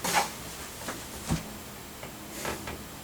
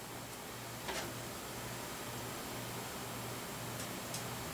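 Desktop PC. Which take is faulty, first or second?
first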